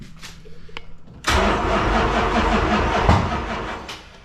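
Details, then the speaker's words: Road Runner 440 V8, first runs after sitting for years, timing being set: cranks then catches with loud rough burst and uneven popping, still firing out the exhaust; backfiring. "Still firing out the exhaust."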